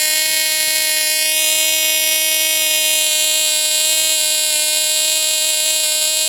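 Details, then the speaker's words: Castor-stuck Cox Tee Dee .049 glow engine freed up, on Sig Champion fuel, mounted on a stepladder, swapped from 6x3 to gray 5x3 prop after peaking around 13K; steady, piercing high scream at constant pitch, no sag; clean full-revs run. "Alright, we got some good runs out of this old engine."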